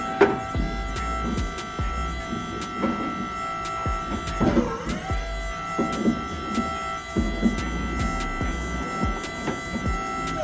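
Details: Astra electric power steering pump fitted to a Datsun 1200, wheels off, after fixing hydraulic leaks: steady whine with a few clean tones and light clicks, no groaning or surging; steering assist working properly.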